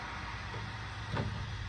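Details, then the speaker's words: Fire truck with Caterpillar 3208 turbo diesel, 12 V system, just started after sitting almost a year: steady hiss over the low idle rumble; compressed air leaking from a brake valve. "I do have an air leak. You hear it? And this valve somewhere right here for my brakes. I've got an air leak I got to take care of. I hear it leaking out."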